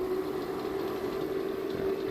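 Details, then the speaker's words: Inverter running a ceramic heater from a 7s 18650 pack with a MakeSkyBlue controller: steady mid-pitched, cricket-chirp-like coil whine over a faint hum, becoming less audible at higher load. "the inverters even a pure sine wave one isn't perfect the coil wine becomes far less with a higher load or maybe you just can't hear the coil whine as much it's like a cricket chirp it's annoying"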